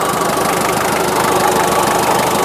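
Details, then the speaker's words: 1996 Daihatsu Taft GT F73 diesel, warm idle after driving, temperature over 1/4: loud, even diesel clatter with steady rapid ticking and no irregular knock; normal sound for this engine. "Mohon maaf kalau suaranya berisik karena ini memang tough ya. Ini sudah panas, sudah tak pakai muter-muter, tadi temperaturnya sudah 1/4 lebih."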